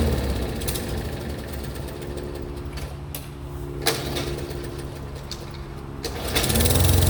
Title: 3814 mower won't start